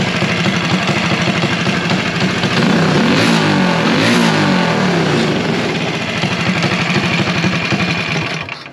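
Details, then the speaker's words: KSR clone single-cylinder kart engine, temporary motor for the #108 Millennium Faktor, warming up with a slight blue tint and possibly a little valve noise; revs climb and fall smoothly with even firing, no misses or knocks: healthy revving. "let's uh hope she holds out for a while she sounds good"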